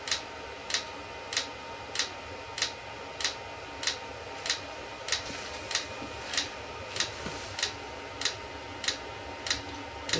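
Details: eBay 8 kW Chinese diesel heater at startup, fuel pump engaging about 30 seconds in, before lighting. Crisp even ticks about 1.5 per second. Normal dosing pump priming.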